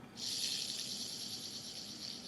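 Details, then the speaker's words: 1999 Mazda Miata NB clutch release bearing, spun by hand with the transmission out: dry, hissing rattle, spinning far too freely with no grease, unlike a grease-packed NTN replacement; worn release bearing, suspected cheap aftermarket part. "I mean, that definitely spins easier than it should, right? If you can just like spin that freely. This one, you know, you can't do that. So this one's all packed with grease. There's no grease in this one."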